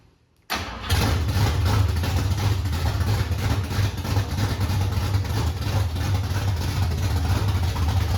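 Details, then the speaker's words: 1968 Ford Mustang, cold start with no exhaust fitted: fires after a quick crank and a pump of the pedal, then a loud, lumpy, steady idle with no knocks. Normal start, though it may need a little more idle. "I mean, literally, that was cold. Yeah. All I did was fucking pump the thing and fired it up, you know? And it didn't even crank that many times."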